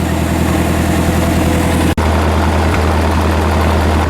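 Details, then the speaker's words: Old backhoe sat at least 5 years, started on starting fluid after cranking: fires right up and settles to a steady, even, low smooth idle with no knocks or misses; normal idle. "Hey! Some signs of life. Nice! When I first sprayed that fluid in, got that first little crank to go over, then sprayed a little bit more, man, it fired right up."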